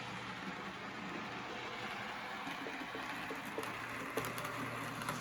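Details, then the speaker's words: Custom-chassis Tyco Chattanooga model locomotive after maintenance and oiling, earlier rubbing noise now gone: soft, even motor hum with light ticking and no grinding. Running quiet, smooth, like new. "i'd say this is running like new it's nice and quiet and stronger smoother more reliable than before"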